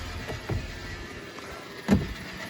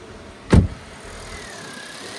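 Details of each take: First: Car bought from Copart, started after sitting a while, idling with a steady mid-pitched whine and faint ticking. Owner decided the water pump bearing was the cause, but replacing the water pump and alternator did not cure the fault. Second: Engine idling after new accessory belt fitted, following needless water pump and alternator replacement: single thump, then quiet steady idle with no squeak or chirp; squeal was the old belt, now fixed.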